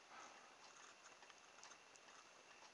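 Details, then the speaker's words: Homemade needle-contact pulse motor with electromagnet and permanent magnets: faint, uneven light ticking and rattling as the rotor has gone out of balance. "I don't know if you can hear it rattling it's not as good as lid Motors lid motor spent a bit of time there and actually got it balanced just right you can see that's just gone out of balance"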